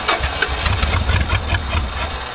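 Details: Thunderhead 289 engine being revived, running on a makeshift carburetor with an intake hole partly covered by hand. Lumpy, stumbling idle with uneven low thumps, like a bad mixture; cause unconfirmed. Rough running.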